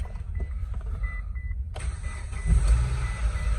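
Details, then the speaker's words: 2005 Mitsubishi Lancer 4G94 after transmission reinstall, first start, no coolant yet: dash chimes, quick crank, engine catches at once and runs smoothly, sounds like a new car. "Oh, sounds like a new car."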